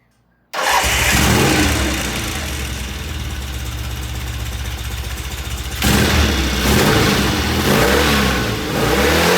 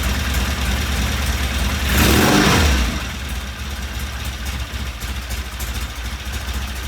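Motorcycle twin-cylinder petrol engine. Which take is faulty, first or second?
second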